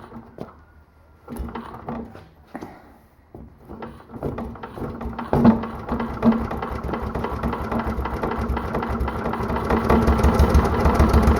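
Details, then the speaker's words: Mostly stock Honda clone single with stage-1-style header, 10 lb cast-iron flywheel, cam modified; cranked with choke on, slow soft chuffing grows steadily louder and faster as the automatic compression release disengages; healthy, normal start-up. "Wait for that compression release to disengage. Alright, there we go. Sounds really good. Alright, so you could hear when I was starting it up and stopping it, there was a little bit of a change in the sound."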